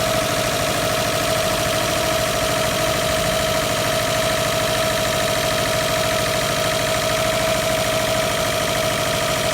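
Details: 2009 Subaru WRX boxer engine idling: rapid deep knock under a steady whir, rod knock from crank bearing failure after low oil by previous owner.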